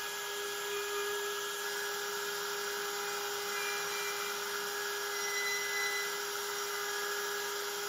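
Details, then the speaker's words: Genmitsu 3030 PRO desktop CNC with a Makita 1.25HP router replacing the 300W spindle, milling aluminum with up to 1 mm progressive step-down: a steady, even high whine with no chatter; smooth, near-mirror cut, square measured 19.97 mm. "I think the result is much better all of them look smooth even the last one with the progressive 1 m maximum step down when compared to the one on top made by the 300 WT spindle the difference is obvious"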